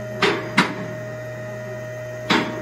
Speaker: now to raise the vehicle and push the race button [Music] and you'll listen for the click sound that's the sound of the locks